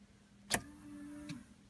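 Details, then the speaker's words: DeLorean fuel pump: a click, then a faint electric pump hum for under a second before it drops out; the pump isn't getting power and runs when jumpered. "the pump now briefly I did hear the pump go over there and I don't know why it's not coming on"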